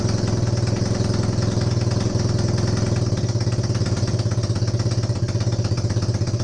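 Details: Honda CB250N Superdream twin, rebuilt from boxes of bits, with new spark plugs, first successful run after the disconnected kill switch was found, choke partially closed. A deep, low, steady thrumming idle with a slightly uneven pulse. Engine running; owner suspects the base gasket for a front oil leak.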